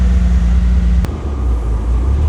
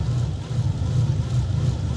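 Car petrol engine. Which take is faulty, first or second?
second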